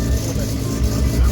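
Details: Sharp blip of a Mazda RX7 SCCA E-Production rotary race car on first start after rebuild with rewired direct-fire ignition and rejetted Weber carburetor; quick rise and fall in revs, no knocks or misses, healthy.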